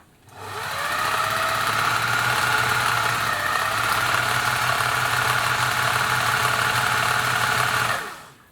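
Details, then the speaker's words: Singer 700 series sewing machine after replacing the motor hinge mount bushes and re-tensioning the belt. It gives a steady, even hum with a fast light clatter and no knocking, running a lot smoother than before. "so let's see what it sounds like now he'd found warning by the way this could get a little noisy [Applause] a lot smoother"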